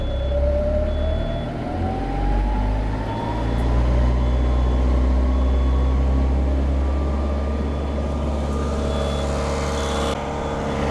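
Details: Perkins 4.108M four-cylinder 50 hp marine diesel after six years unused: steady even rumble with gentle rising tone, no knocks or misses; oil pressure and temperature good, some blue smoke mentioned; healthy running.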